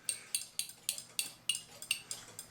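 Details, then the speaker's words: Keebler "Love Bird" clock, likely 8-day, winder taken apart: sharp metallic clicks about four a second while winding; the ratchet piece is not staying engaged, apparently with part of the gear, and the key unwinds, so the winding ratchet slips. "So here, you can hear it clicking. It's holding. It's holding. It's holding, kinda."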